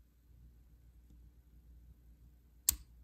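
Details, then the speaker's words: Practice padlock being picked under tension: pressing up the first binding pin (pin one) until one crisp metallic click as it sets at the shear line; stronger tension gives a louder click. Pin setting click. "until you hear that clicking sound that click is the sound of the lock snapping into place and you have now picked that first lock"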